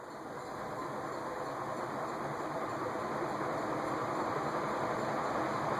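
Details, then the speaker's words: Leading Edge A-60 industrial ceiling fan (also sold as Dayton, believed 1985), with replaced capacitor and original downrod: steady, even rush of air at high speed with no knocks or rattles; lots of air moving, healthy running. "install that is a lot of air moving"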